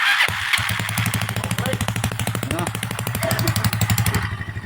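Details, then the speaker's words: Small single-cylinder motorcycle engine after rebuild with new crankshaft, full timing gear, clutch housing, carburetor and 4-pin CDI conversion, exhaust fitted: even, steady low idle pulse with no knocking or rattle; quiet, only the exhaust is noisy. "Yan na po yung andar niya oh. Ayan, parang mayuming-mayumi na yata ah. Walang kaingay-ingay kasi po ito lang inaingay."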